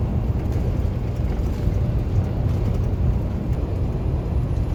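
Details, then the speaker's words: 2016 Peterbilt 579 diesel truck cruising after repair: a deep, steady drone with no hissing or chuffing, now normal after replacing a small rubber hose with a hole and its two clamps, suspected turbo or manifold exhaust leak. "so we got that changed out it's down the way it's supposed to sound and that's what we talk about"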